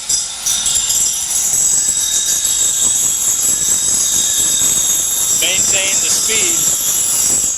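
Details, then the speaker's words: Reel being ground on a reel sharpener with the reel sped up: constant high hissing grind with a thin whistle and uneven edge; spinning too fast for a clean grind. "going to get more grinds for revolution but you can hear it it just doesn't sound right so i'm going to slow it down"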